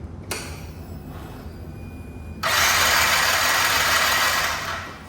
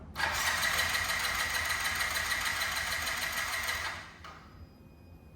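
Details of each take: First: Yamaha C3 moped after a fuel pump replacement, new plug and battery: steady high starter whir that never catches. Fuel is reaching the injector; cause not yet confirmed. Cranks but no start. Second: Yamaha C3 moped after fuel pump replacement (old pump silent despite 12 V): steady high whir with quick even pulses for about four seconds as key is turned and engine cranks; new pump working.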